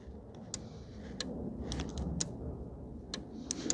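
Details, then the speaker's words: 2014 VW Tiguan 2.0 TSI, ignition off, quiet car: a relay clicks on and off several times a second, drawing about 2.4–2.5 A and draining the battery; relay to be removed to confirm. Parasitic drain. "I don't know if you guys can hear that but the relay is clicking on and off I can feel it too that is pulling about 2.4 2.5 amp"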